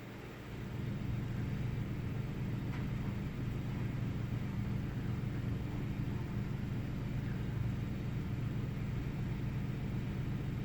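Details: 1998 Ford Taurus SE V6 OHV with an intermittent rough idle, restarted after about 10 seconds off with no significant change: low, uneven rumble that never smooths out. Rough idle.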